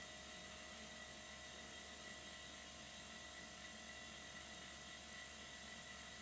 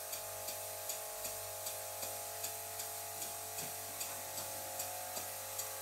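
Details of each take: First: Silent-type workshop compressor supplying air to miniature steam engines: faint, steady hum with a soft high-pitched tone and no knocks or rattles; running as it should. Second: "Silent"-type workshop air compressor running beside a Stuart Victoria miniature steam engine: constant drone with sharp tonal whine over soft engine ticks about 77 a minute; compressor annoyingly loud, most noticeable as the engine slows.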